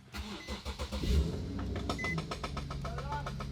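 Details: Nissan S14 240SX drift car after fitting a new idler pulley; engine cranks briefly, catches cleanly and settles into a steady idle with no belt squeal or chirp from the pulleys.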